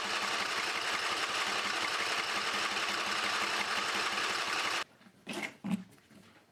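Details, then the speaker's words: Briggs and Stratton 20HP V-twin Model 40, sat 3–4 years: twin chugs with uneven, labouring beat for about five seconds, then cuts out; running a little on its own, rough running, carburetor needs cleaning. "okay guys I got it running a little bit on its own but the carbur is going to need to clean"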